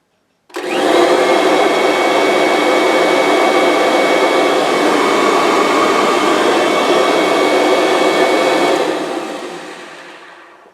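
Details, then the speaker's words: Kirby G5 vacuum just after fan replacement and reassembly: motor spins up to a smooth, steady whoosh with no rattle or scraping, then winds down evenly. Running normally after repair. "Sounds good to me. Sweet. You've now changed your Kirby G5 fan, or G4, or G3, or whatever one you've just changed."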